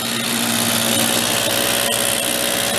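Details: 1969 Benelli Buzzer mini bike two-stroke, formerly seized engine revived: holds a high even buzz at idle without stumbling, smoking off oil in it, running smoothly.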